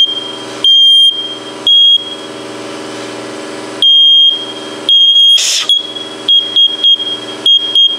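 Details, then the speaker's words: First Alert smoke detector, cover off during teardown: high shrill beeps in uneven long and short bursts, repeating constantly; no visible fault, owner suspects the smoke chamber, cause unconfirmed. "I really don't see anything that would be causing that uh beep like that continually. Something is causing this to beep."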